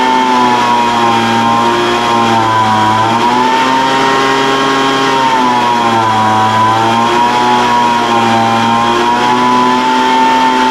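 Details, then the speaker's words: Older Craftsman 200mph two-stroke blower, sat unknown time, restarted after the high-speed mixture was opened slightly: pitch hunts up and down every couple of seconds at high throttle. Surging; carburetor acting funny after sitting, cause not confirmed. "the carburator was acting a little funny but sometimes they do that when you first get them running again after they've sat"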